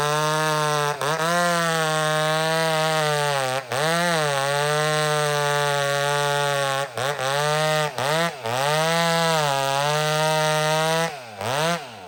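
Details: Old McCulloch Super Pro 70 chainsaw cutting wood: high two-stroke scream holds through each cut, dipping briefly under load and recovering cleanly. Healthy cutting.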